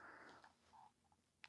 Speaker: We don't need to have the screen in shot because you'll hear the beeps. Let's check the earth pin with that